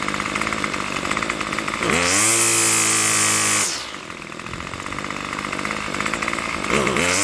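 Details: Craftsman Weedwacker gas trimmer model 316.791191, MTD 27cc shortblock, Zama C1U-P27 carburetor, after rebuild: crisp steady idle, clean rev to around 2700 rpm and high buzz, back down without stumbling; normal running.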